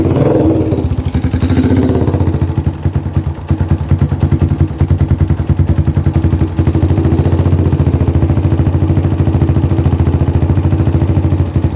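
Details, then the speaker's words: Yamaha Jupiter MX motorcycle that would not start, now firing steadily with a brief throttle blip and running cleanly after the vacuum part was replaced; normal running and revving. "Oke, Teman-temanku semua. E motornya bisa hidup ya, Teman-teman. Motornya sudah bisa hidup."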